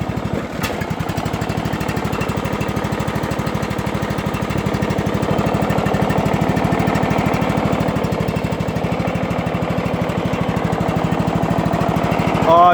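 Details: John Deere lawnmower cold start, needing a little throttle: quick, steady single-cylinder thumping of about three beats a second, no misses or odd knocks. Normal cold start and idle.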